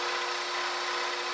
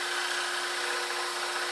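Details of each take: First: Scroll saw cutting wood: steady, even buzzing rasp with constant hum and no surging or catching after chatter going against the grain; cutting smoothly, suggesting blade stroke speed could be increased. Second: Scroll saw cutting wood against the grain: a steady saw buzz with a rough, fluttering edge; the blade is chattering.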